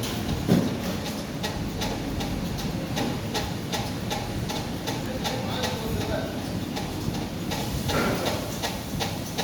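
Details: Kdk M60SG ceiling fan running with steady ticks and clacks, roughly two to three a second, from bad bearings.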